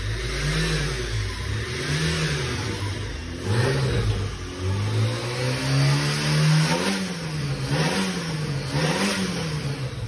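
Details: Tofaş car engine after work at an İzmir repair shop, settling to a steady idle then climbing smoothly through several blips and dropping back cleanly; normal idle and revving, healthy running motor.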